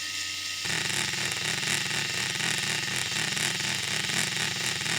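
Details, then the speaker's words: RC crawler "CV" joint turned at a steering angle. A fast whirring drive with a wah-wah pulse from non-uniform rotation, fast-slow four times per output revolution, worsening with more angle. The joint behaves like a universal joint, not true constant velocity. "hopefully you can hear that wah wah wah wah wah wah that's the non-uniform rotation fast low fast low four times per Revolution at the output"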